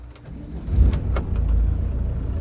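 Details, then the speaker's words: 1991 VW T3 Syncro Doka, 1.6L mechanically injected turbodiesel inline-four, 5-speed manual: fires right off and settles into low, even diesel clatter at idle with no misses, knocks or smoke; normal diesel idle. "you can here there's no smoke so good solid engine"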